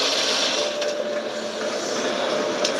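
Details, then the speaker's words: BMW N63 twin-turbo V8 truck running with constant light smoke: steady rough grinding whirr with a faint tone in the background, plus a light tap blamed on pistons hitting spark plugs. Grind source unknown. "But there's a constant >> little bit of smoke. >> Hear the grinding noise in the background."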